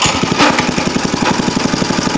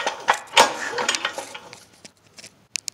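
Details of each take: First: Go-kart small single-cylinder engine after the no-compression fix and carburetor diaphragm check, muffler hot, idle screw slightly adjusted: crisp, even thumping about eleven pulses a second with no misses or stumbles; healthy idle. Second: Cheap go-kart small single-cylinder engine with good spark, finger over spark plug hole during recoil pulls: engine spins freely with no puffing or resistance; zero compression, exhaust valve seen moving.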